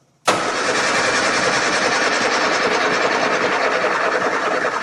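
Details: 1965 Austin Healey twin-carb engine started after years of neglect: quick crank, fires and runs ragged and unsteady instead of a clean idle, seeming to need throttle; cause not confirmed.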